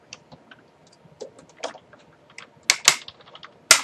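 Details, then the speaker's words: Die-cutting machine rolling a sandwiched thinlet die and magnetic plate to cut a maple leaf; scattered sharp cracks, pops, smacks and quieter creaks, which are normal and mean everything is working as it should. "Hear the creaking and the cracking and the popping and the smacking noises. Those are normal. That means that everything's working the way it should be."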